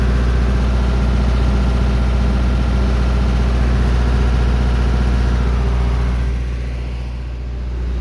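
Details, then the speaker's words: Onan 40 kW generator (1999) with 4-cylinder Cummins diesel, after voltage regulator board replacement. Steady drone under a 20 kW resistive load bank; current near 90 A at 240 V, voltage steady; running normally under load. "the current went up to almost 90 amps which you can do the math that's about 20 kW at 240 volts so I know it's running it's working"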